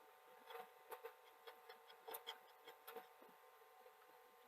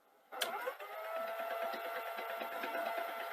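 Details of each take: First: Sony SL-HF950 (US SL-HF750) CX chassis Super Betamax VCR; quiet mechanism with irregular scraping rubs in bursts over the tape motor, take-up jittery and dropping when rubbing, labouring and slapping; take-up reel table fault. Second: Sony SL-HF950 (US SL-HF750) CX chassis Super Betamax with take-up reel issue, after repair, wind mode: even winding whirr with a few light clunks and no rubbing noise; the reel drive now runs smoothly.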